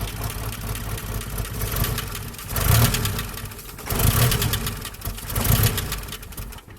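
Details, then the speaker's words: 1988 Jeep Comanche Renix 2.5L I4 after fixing skipped timing chain and broken tension pin: low idle rumble swelling with three short throttle blips, settling back each time; running reasonably evenly, a little smoother. "Not bad. Cool. That's a little smoother, eh?"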